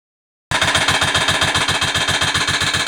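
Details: Sharp, hard metallic ticking about three to four times a second from the side of the motorcycle engine on starting, after the starter mechanism was found locked; a loose cam sprocket bolt and a broken camshaft.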